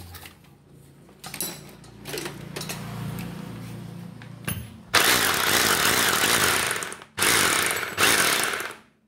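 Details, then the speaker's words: Concrete demolition drill (would not rotate) after replacing the rotor and gears: runs in short bursts with an even, steady buzz, smoother and no longer harsh as before; normal motor run. "Đấy, khi thay rô và bánh răng vào, cái tiếng máy của nó có cái độ êm ngay, nó không bị gắt như lúc nãy."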